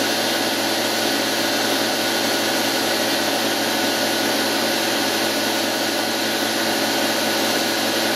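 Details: Washing machine universal motor driving a lathe, running without cutting, before bearing replacement, mic about a metre away: loud steady roar with harsh, gritty hiss.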